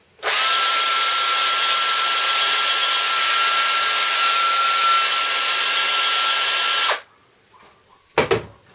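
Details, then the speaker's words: DeWalt 18V XRP cordless drill, days after cleaning armature commutator fixed overheating and smoke from bad brush-commutator connection: smooth even high-pitched whine held about seven seconds, no stutter or rasp; no more smoke, healthy. "The drill is working perfect now. It's been a couple of days. No problems. No more smoke."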